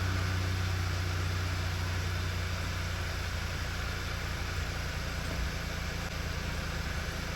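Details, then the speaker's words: 2009 Volkswagen Eos 2.0T idling smoothly and evenly with a steady low hum after replacing a faulty ignition coil that caused a flashing check engine light and misfire; misfire counter clean so far. "we just started it let it R for a little bit let's bring up that misfire counter sounds good so far right so far so good"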